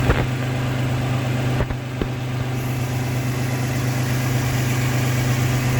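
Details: Toyota 4Runner 5VZ-FE V6 after replacing the failed alternator with a brand new one: steady low hum with even smooth beat after startup, no knocking or whining; normal idle.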